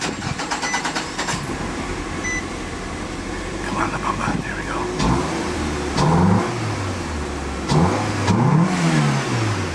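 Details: Mid-2000s (2005) Nissan Altima after fuel pump assembly replacement: engine picks up cleanly through several quick blips and settles back, loud intake roar on each rev; runs well.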